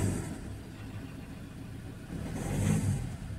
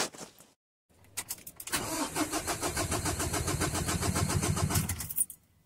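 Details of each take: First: Ford Ranger 2.2L diesel idling, then stumbling unevenly when the throttle is snapped: one cylinder misfiring under load, with no fault codes stored. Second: Ford Ranger 2.2L diesel with misfire under load and no fault codes, cranking with injectors unplugged; steady even chug about four beats a second, compression sounds even across all four cylinders.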